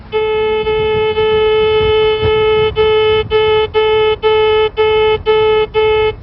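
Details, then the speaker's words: Goldak 5600 locator with antenna vertical in null mode, gain set to full signal, walked across a buried line. Clear mid-pitched tone that is steady, then cuts out about twice a second as it passes over. Normal null response. "The definition of a null is full signal, cutout, full signal. To track this line, we will just listen for the cutout."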